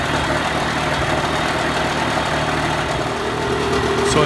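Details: Mercury 35 hp two-stroke outboard after carburetor fine adjustment raising idle, running in forward and reverse gear; smooth steady burble, no stumbling or hunting; normal idle.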